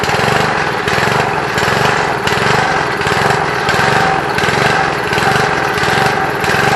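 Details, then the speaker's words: Briggs & Stratton engine on a Trim Rite Lawn Keeper edger, running with air filter and cleaner housing removed at about half choke, surges badly, speed rising and falling about 1.5 times a second; owner suspects lean running, smoothing only with choke almost fully closed. "Alright guys, as you can hear, it's surging real bad. Sounds like it's running a little lean, because I had to close the choke all the way almost shut to get it to smooth out, but I don't have the air filter and stuff on it."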